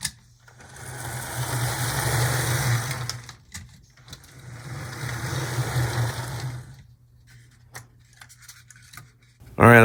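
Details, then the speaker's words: HO Athearn Blue Box B&O EMD F7A model locomotive, shell refitted, test on track: small motor whirs smoothly, stops, runs again with even buzz and no catching; running normally, like new from the box. "I think this is running about as good as it would have clean out of the box if you would have bought it from the shelves of the store it's yeah it's in really good shape"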